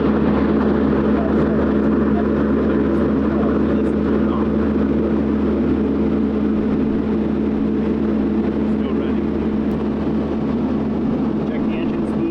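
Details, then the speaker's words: Diesel excavator keeps running at a steady drone after being switched off; the relay clicks but the engine does not stop, so the switch or control unit is suspected to be faulty. "No off. Same thing. Yeah. So, it is something to do with the switch at least. Yeah, I could hear the relay click behind me, too."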